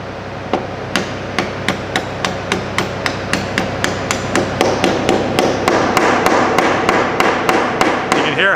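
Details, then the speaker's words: Hustler Z diesel zero-turn mower, 72-inch deck spindle bearing being hammered into place via socket on outer race, steady blows about three a second turning louder and ringing once bearing bottoms out in bore. "it changed noise if that means you're bottomed out"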